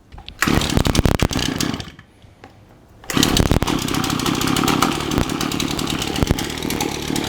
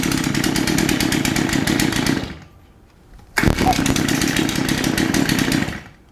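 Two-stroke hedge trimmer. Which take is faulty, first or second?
first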